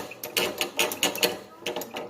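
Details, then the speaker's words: Motorcycle front end: sharp, uneven metallic clicks, two or three a second, from play in a worn, loose part. Rider heard it near the brake disc while riding; changing parts didn't fix it. "essa folga na hora que você tá andando com a moto seu peso em cima e passa nos buraco fica jogando ele para o lado para o outro essa folga vou ficar aquele barulho que você não consegue resolver"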